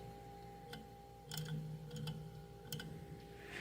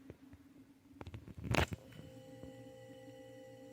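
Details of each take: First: Mini beer fridge that had quit and restarted after being smacked: quiet compressor hum with sharp irregular clicks about a second apart; owner suspects the thermostat contacts are bouncing and not fully connecting. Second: Mini beer fridge of unknown age that had quit, compressor restarting promptly: a click, then a steady low electric hum that holds evenly as it is unplugged and replugged; normal compressor start.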